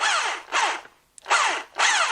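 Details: Bosch PST 53A jigsaw, owned several years, after repair of an intermittent cut-out fault, one screw holding the cover for a test: three short trigger pulls, motor spins up cleanly and winds down evenly with no cutting out; running properly.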